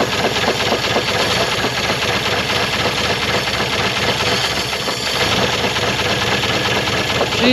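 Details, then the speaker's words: 1960 Chevrolet C-10 inline-six, untouched estate-auction truck, first start: rough idle with a loud, rapid hammering knock that never lets up, cause unclear; owner hopes it goes away with time. "not happy I don't know if you can hear that but she's hammering she's hammering pretty good hopefully that goes away with some time"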